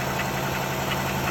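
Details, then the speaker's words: Engine idling after a hard start with a harsh metallic rattle pulsing about three times a second over the hum; then it shut off; rattling in the engine, cause unknown. "So you guys, you hear that rattling?"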